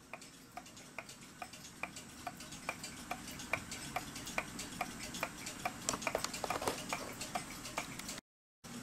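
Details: Seth Thomas kitchen/parlor clock dated 1918, before cleaning; the owner found the mainsprings very sticky and plans to remove and clean them. An even, crisp tick a bit over once a second over a quiet background; the movement runs healthy.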